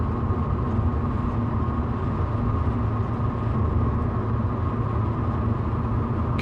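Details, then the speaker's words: 1966 Ford Mustang driving on rough roads: a fixed ~250 Hz ring over road rumble, same note regardless of road or engine speed, stopping on smoother pavement; owner suspects the Monte Carlo bar resonating from road vibration. "you hear that resonance 250 Hertz yeah uh I think it's the money Carlo bar ringing uh being set off by Road vibration it's always the same note"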